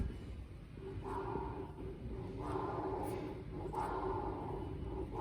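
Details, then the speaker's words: Haas CNC mill spindle turned slowly by hand: rough, gritty rasping swelling with each turn; worn spindle bearings suspected, not replaced. "You can hear they're quite noisy. They'd probably benefit from being swapped out, but that's quite a chunk of money, and I don't think I'd attempt to do that myself, so I'm not going to worry about the bearings just yet"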